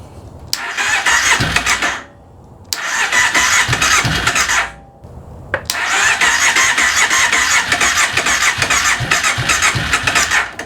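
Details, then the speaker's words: 2005 Kawasaki Prairie 700 ATV after years of barn storage, fresh fuel, new plug, on choke with battery charger: three long steady cranking bursts, catches briefly but won't keep running; fuel only just reaching it. "there you go so we had fuel finally make it change that plug so that's the first time it's actually fired over choke it"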